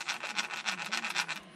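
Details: Losi 8ight 3.0 RC car front wheel bearing spun by hand during rebuild gives a dry, gritty rasp in uneven surges instead of a smooth spin; rough bearing, three bearings replaced.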